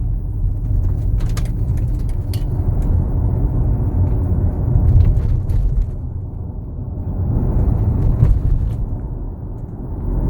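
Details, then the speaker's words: Armored BMW X3 on the road, in-cabin: heavy road rumble with scattered sharp clicks and ticks from loose interior trim, customer complaint; reduced after adjustment. "cliente reclamou aqui de barulho incomodando muito ele a gente deu uma volta aqui e realmente diagnosticamos aqui bastante"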